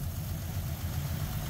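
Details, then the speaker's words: 1953 Ford Customline flathead V8 that last ran 2-3 years ago, just started after sitting: a short stretch of low, steady, even rumble with no knocks or misses. The old V8 idles cleanly. "Look at that flathead. That thing runs better than the Javelin."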